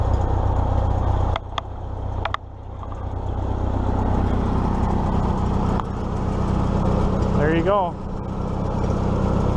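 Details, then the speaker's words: 1953 Farmall Super M four-cylinder tractor, after idle mixture and idle speed adjustment: after some handling knocks, settles into steady, even putter around four beats a second; normal idle. "and then I adjusted the idle mixture and idle speed and runs like a Swiss watch this thing runs beautifully"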